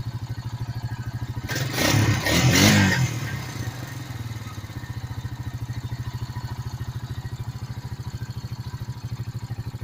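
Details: 2006 Honda Rancher ATV after carburetor cleaning (it used to die with the choke off): single-cylinder engine picks up cleanly, blips up briefly, then settles into a steady, even idle pulse with no misses. Normal running.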